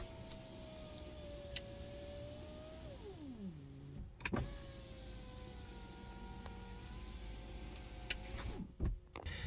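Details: 2022 Tesla Model 3 Long Range, about one year old, whose window squeals loudly on lowering; reference of how it should sound: smooth, even motor hum dropping in pitch as glass travels, no squeal or grinding, normal.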